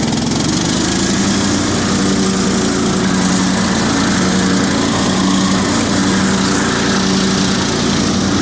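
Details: Cub Cadet 2130 garden tractor, revived after a fuel pump replacement, carburetor rebuild, choke linkage and brake-switch wiring fixes; a little cold at about 35°F, in neutral; steady even hum plus transmission/clutch whine, no stumbling or knocking, no oil burning; normal running.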